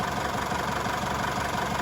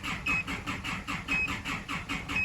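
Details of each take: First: Isuzu D-Max diesel reassembled and running after a crank-no-start repair (intercooler and EGR valve refitted). Steady, even diesel clatter at idle with no misses or surges. Normal diesel idle. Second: Isuzu D-Max diesel cranks with even, rapid starter churning, about five or six beats a second, never firing; scan tool shows high rail pressure but no engine speed signal, with EGR and camshaft position codes; cam/crank sync suspected, not confirmed.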